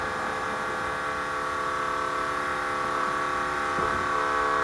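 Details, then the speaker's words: Monte Carlo SS G-body after an engine rebuild, raising the windows. A steady whirring motor drone with a high thin whine as the window climbs; the window motors are worn and need replacing. "I'm just going to let these windows up. I've got to replace the window motors."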